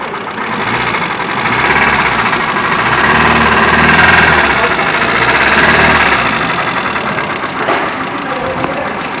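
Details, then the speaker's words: Hyundai i10 1.1 petrol idling: light steady ticking about three times a second with some engine vibration as valves don't operate properly; tappet adjustment didn't help, traced to worn camshaft, camshaft and rocker arm to be replaced. "ये जो नॉइज़ हो रहा है, और अभी तो देखिए ये इंजन वाइब्रेशन भी थोड़ा बहुत हो रहा है क्योंकि इसकी वाल्व जो ऑपरेटिंग है ये सही से नहीं हो रहा है।"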